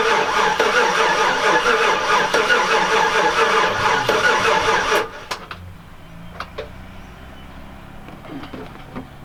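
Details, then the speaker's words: Chevrolet Silverado Z71 after top-end rebuild (collapsed lifter, DOD delete), first start, no coolant: sluggish even cranking about five seconds, roughly 2.5 strokes per second, never fires; fuel pump fuse pulled, so the pump has no power. "It's not cranking super fast. Um, didn't pull any fuses, I don't think. Yeah, I pulled the fuel pump fuse when I first got it to try and break the bolt free."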